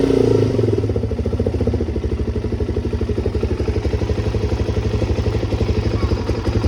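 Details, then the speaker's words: Suzuki DRZ400SM started after PAIR valve and petcock replacement: even single-cylinder thump about four beats a second, steady and clean with no miss or clatter, healthy idle, fuel leak gone. "Looks like it's doing good. Yay. No more leak at least."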